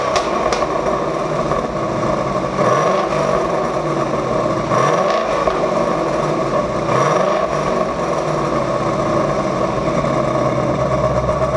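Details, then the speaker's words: Roush Active Exhaust after replacing the failed driver's-side valve actuator, started in track mode with valves open; deep, steady exhaust rumble with clean throttle blips, no drone or rattle; normal exhaust note. "I'll start it up in track mode, which means the valves should be open."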